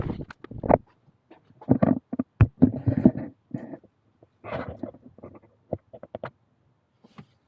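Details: Land Rover Defender 90/110 (Puma or TD5) clutch pedal giving irregular low groaning creaks with each press, persisting after greasing; dry clutch linkage box in the engine bay suspected, not confirmed.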